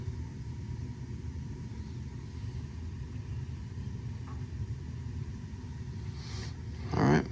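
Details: Burnham low-pressure steam boiler, after repairing a no-heat fault from a dead transformer and possible electrical short: steady low burner rumble with no surging or cutting out, handling noise at the end; running fine, though maintenance is still needed.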